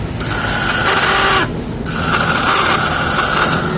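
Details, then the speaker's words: Soul GT scooter electric starter spins freely with a thin, high whir and no cranking; starter motor turns but starter one-way clutch rollers (pelor starter, behind CV pulley roller), suspected worn, fail to engage, so the engine won't start. "Jadi dia bunyi, tapi nggak mau apa namanya, cuma muter aja itu teman-teman."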